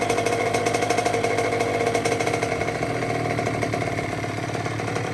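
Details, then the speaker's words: 2006 Honda CR85 two-stroke after Wiseco rebuild (new crank, piston, seals, bearings, gaskets), first start, break-in heat cycles: crisp, rattly idle holding steady without stumbling; sounds healthy. "We're going to let that idle for a little while, shut it down, let it get cooled off, and then we'll start it back up again and uh you know go through the same process a few times. Get a couple heat cycles on there. She sounds good though."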